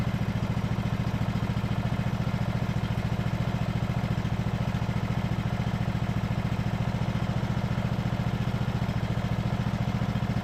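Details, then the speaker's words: Ariens riding mower engine after carb clean, restarted without choke: small engine idling smoothly with even, steady low thump, no surging as before; normal idle. "Sounds great. started right up like it's supposed to. Goes right down to idle."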